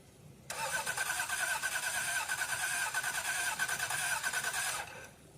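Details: 1989 Toyota Cressida that sat for years, on a freshly charged battery: steady even starter cranking for about four seconds, never catching; gas gauge just off empty, owner thinks it has no fuel. Crank, no start.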